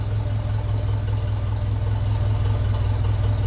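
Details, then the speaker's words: 1957 Ferguson 35 TVO tractor, warm with water temperature normal, idling around 600 rpm on a short-silencer vertical exhaust: slow, even low thumping with no knocks or misses, ticking over nicely. "so I have to give it to it it sounds sounds nice ticking over"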